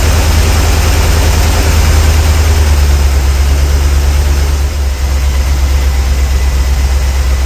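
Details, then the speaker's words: 454 V8 just put back together, at idle, about 36° total advance, with four mufflers fitted: a deep, heavy idle with an uneven pulse and occasional pops. Owner unsure whether it is a bad plug or a sticking lifter; popping stops when warm until revved. "try one more time that popping I don't know if that is a bad spot bugs or a lifter sticking [Music] [Music] I don't know what the popping is"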